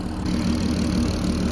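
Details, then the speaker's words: Mk5 Golf R32 VR6 turbo build with DSG, idling after final fitting before tuning: smooth, even idle with a steady low drone, no misses or hunting; audible clicking is the injectors under the plastic intake manifold, considered noisy but possibly normal. "this is how it's running but an absolutely lovely just like it was stopped yeah the clicking you can hear is actually the injectors pretty noisy to be fair"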